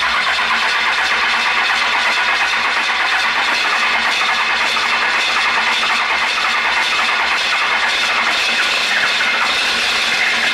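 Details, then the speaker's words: 12-valve Cummins on a test stand with low lift pump pressure, owner suspects a weak lift pump spring, fuel lever strapped open, throttle closed, bled again: long steady cranking about ten seconds without firing. Cranks but will not start. "so I haven't got it to fire yet and I've got a tarp strap hooked up to the right spot now before I didn't and now it's opening my fuel and leave that throttle alone unlike last time keep that closed"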